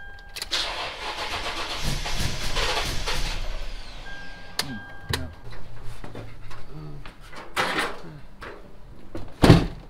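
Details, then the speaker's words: 2005 Toyota Tacoma 4x4 with swapped 5.7L 3UR-FE Tundra V8, immobilizer just programmed, about an eighth tank of fuel: starter whirs, engine coughs and sputters but never catches; crank no start, spark believed present but no fuel, owner suspects a crash sensor. "got the truck cranked in and it's actually puting a little bit so I believe it is getting spark but it doesn't seem to be getting fuel"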